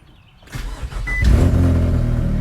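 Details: 2002–2006 Nissan Altima 2.5L after starter replacement (the old starter often just clicked): a brief crank, then the engine catches right away and settles into a steady idle, so the starter works properly.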